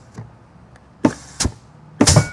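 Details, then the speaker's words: High-horsepower diesel transmission, air blown into the passages: three sharp air bursts each with a firm thunk as the third-gear and forward clutches apply, no lingering leak hiss; clutches hold air fine. "i can apply the direct clutch in the forward touch different times do you hear that now that's going to be the third gear clutch that's going to be your forward"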